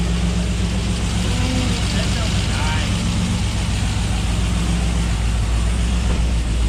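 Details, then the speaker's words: GMC Denali 6.2 V8 with BTR stage 2 truck cam and 2800 stall on first start-up, not revved: lumpy, uneven loping idle at three to four pulses a second; normal cammed idle. "nope don't rev it it's only on a base just let it idle"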